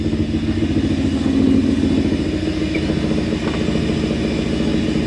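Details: Toyota 1UZ-FE V8 swapped into a blue Land Cruiser: rough, uneven idle with a stumbling, irregular beat and clatter; several cylinders not firing because of a wrong firing order.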